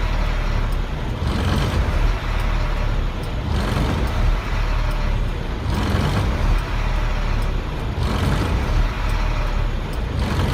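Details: 1999 Freightliner diesel truck with hard start/no start, unstable surging idle swelling and sagging about every two seconds, blue-gray hazy exhaust smoke under belly box; owner suspects bad fuel pressure sensor; truck then died and was later idling fine.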